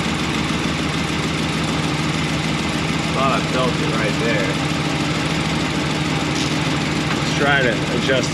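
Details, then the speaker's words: Ram 1500 5.7 V8 with BBK shorty headers, restarted after tightening collector bolts (threads hitting collector): steady idle with faint irregular puffing tick, exhaust still leaking at header collector joint. "okay let's see if that steals this thing up or not restarting the engine and it still leaked"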